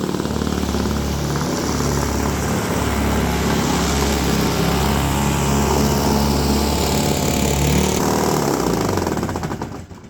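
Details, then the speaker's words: Toro S-200 two-stroke snowblower, roadside find rehabbed, cold electric start, clearing snow: busy two-stroke buzz holds steady under snow load with even firing and no bogging until shutdown; running strong, normal running under load. "the little guy is performing like a champ I'm very pleased"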